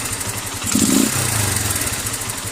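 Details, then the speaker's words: Keeway CR152 with a newly installed Nibbi 28mm carburetor on the stock airbox, needle clip in position 5: a quick throttle blip, then the thump drops straight back to a steady idle without hanging, so the idle is set correctly. "So yan yung throttle response niya. Nasa number 5 yung needle clip. So maganda yung minor niya, diretso baba, balik agad sa tamang minor."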